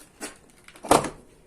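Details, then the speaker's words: VW Gol G3 door opening and closing: two short dry cracks, second louder on closing; door limiter creak suspected, not confirmed; door creak when opening and closing. "a hora que vai fechar que ele faz o barulho é e principalmente na hora que vai fechar"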